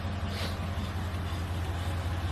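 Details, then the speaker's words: Mercedes E55 AMG fitted with 16in 7.5-wide 5x112 rims on R888R tyres, caliper massaged for clearance, wheel spinning in drive with two lug nuts: steady low hum, no scrape or rub; wheel clears caliper. "Tire spinning. No more scraping noise. I had to massage that caliper a little bit."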